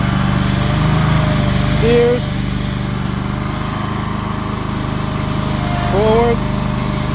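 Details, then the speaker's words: Wacker RD27 mini roller after replacement Predator 670 cc engine installed: steady even single-cylinder beat driving forward and backward with brief pitch shifts; normal running under load. "Start it right up. Sounds good."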